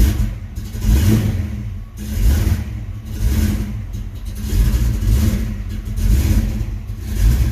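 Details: Mustang, first running after a failed start attempt and troubleshooting, before ignition timing is set: revs swell and sag about every second and a half, never settling; runs but won't hold idle.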